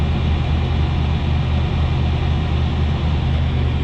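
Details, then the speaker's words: 1989 Chevrolet Suburban 1500 2wd V8 just after ice-cold start, minor smoke: steady, even low rumble, no knocks or misses; smooth healthy normal cold idle. "Really quite minor. That's a cold start."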